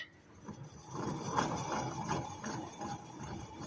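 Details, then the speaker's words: 2006 GMC Yukon 1500 front wheel bearing (ABS-equipped), hub spun by hand with brakes and caliper removed: a gritty, uneven rumble with light clicks from the worn bearing, which is due for replacement. "but it actually with everything off of it when you spin it you can hear that bearing uh"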